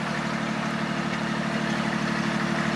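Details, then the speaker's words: 1940 Plymouth DeLuxe P10 sedan, original 201.3ci flathead straight-six with three-on-the-tree, idling on its first start after 25–30 years of storage: loud, raspy, hollow rear note because the exhaust is broken and leaking midway and at the rear. "all right we have a broken exhaust I can hear it's coming out in the middle somewhere as well as all the way back here in the rear"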